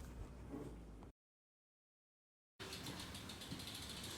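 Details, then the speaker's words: Trek Rail e-bike rear wheel after rebuild into new Hope Pro 4 hub, replacing freehub damaged by loose end cap: quick even tick about four clicks a second, no rumble; healthy freehub. "so we've now got a wheel that sounds like a wheel like the wheel should do no free hook body noise no rumbling"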